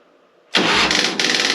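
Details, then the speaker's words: 2005 Harley-Davidson Softail Deluxe with the choke out and a new battery: a labored churning burst of about a second as the starter drags the engine over slowly, caused by poor battery cable contact. Wire brushing both cables fixed it. "see this thing really wears the battery out fast so I don't know if there's a loose connection uh or what the deal is with it"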